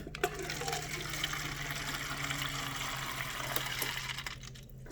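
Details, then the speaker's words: Refrigerator water dispenser right after installing a new filter: water spits and gurgles in irregular bursts instead of flowing smoothly; trapped air in the water line. "like i said you're gonna need to get the pasta cup ready because it's gonna have a bunch of air but let's just see what happens as you can hear you can hear a bunch of air already"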